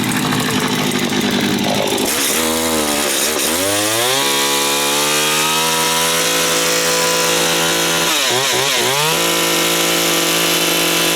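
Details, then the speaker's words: Stihl FS80 two-stroke trimmer run after about a year retired and a teardown and reassembly: high, raspy buzz revs up and drops back cleanly to a steady idle. Engine running normally. "okay wow sounds like it's still running crazy crazy crazy I don't know I don't get it and yep still running wow surprise"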